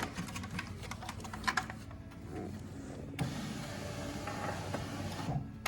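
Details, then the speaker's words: 2012 Chevrolet Impala after replacing the window regulator assembly, door panel off: a few clicks then a smooth, even motor whir as the glass travels up and down, no grinding or binding; power window working normally. "not hitting anything as it goes up and down before we put the door panel back on it looks good and it sounds good"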